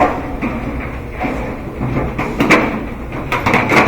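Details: Whirlpool dryer after replacing broken drum belt (motor ran but drum would not spin): soft fairly regular thuds about every half second over low motor hum; drum turning freely again, normal tumbling.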